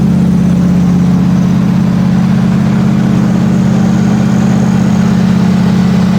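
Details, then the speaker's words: Normal smooth idle of a freshly rebuilt Oldsmobile 350 V8 in a Cadillac Seville at first start, after the faulty distributor was replaced and the wiring corrected: a deep, steady burble with an even beat and no knocks, ticks or misses. "But now listen and enjoy the sound of my rebuilt Olds 350 V8."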